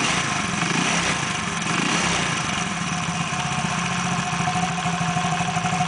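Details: Engine idles evenly with a smooth mid-pitched putter and no knocks or rattles after the engine noise was fixed; normal idle.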